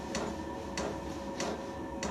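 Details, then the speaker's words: New self-contained Chinese diesel heater on first startup; crisp even fuel pump ticks about 1.5 per second over steady burner roar as exhaust fires, pump probably the noisiest part; normal dosing pump operation. "Right, you can hear the fuel pump ticking, and there's a little picture of the fuel pump there."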